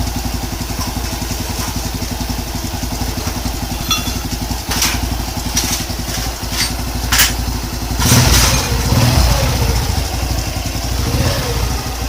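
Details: Honda Wave 110cc single after overhaul (crankshaft rod bearing replaced, block rebored, head untouched): even quick putter at idle, a few stray thuds, clean rev rise; quiet and healthy compared with the noisy pre-repair engine.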